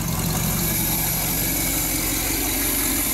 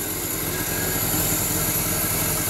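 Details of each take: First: Small-block Chevy V8 at first start after purchase, on a cold day. Smooth, even idle with a steady rumble and no squeal or miss, though an exhaust leak and a loose belt are noted. It is no longer smoking and runs well. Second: Small-block Chevy V8 first start after work, cold day, low idle with a sharp, raspy puffing tick following the firing pulses; exhaust leak.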